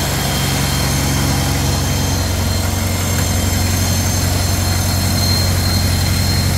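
Steady low, even idle thrum with no knocks or ticks, rhythm holding smooth throughout; engine sounds healthy and running clean.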